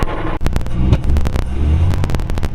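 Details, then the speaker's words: 1932 DeSoto SC Standard 6 coupe, not run for a long time, old gas; uneven cranking thumps catch and build into a low, lumpy rumble, then 45 psi oil pressure: normal engine start. "got her fired up there."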